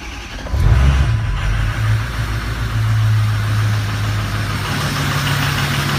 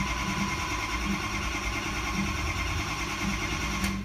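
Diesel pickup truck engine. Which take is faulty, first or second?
second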